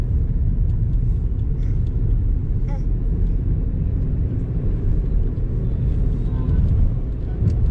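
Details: Honda car driven on the road: low steady drone under road rumble, rising with speed and fading when slowing; seemingly from the front right side, suspected worn front wheel bearing.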